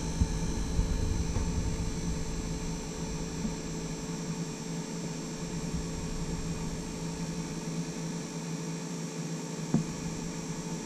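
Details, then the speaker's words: Taco 006 recirculation pump in a heated-driveway snowmelt hydronic system, one used and one new, both sounding identical: steady low electrical hum with faint high whine, no knocks; owner expected it silent, unsure if normal. "i thought these taco double o sixes were supposed to be like silent and i have two of them uh one i bought used from a friend and the other one i bought brand new from supplyhouse.com they both sound identical"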